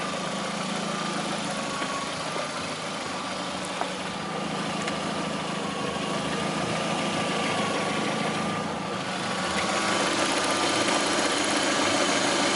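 Even idle with a light, regular tapping about three times a second over the engine hum; a knock at idle, cause unclear.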